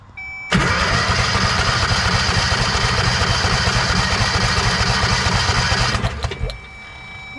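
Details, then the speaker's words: Kawasaki Mule 2510 V-twin compression test: about five seconds of cranking, roughly three beats a second, slightly uneven; one cylinder reads zero and blows water, the other 95, with antifreeze out; head gaskets suspected; low compression. "95. That's a little low, but I don't [snorts] I haven't had antifreeze come out of it, too. So, they're they're definitely popped."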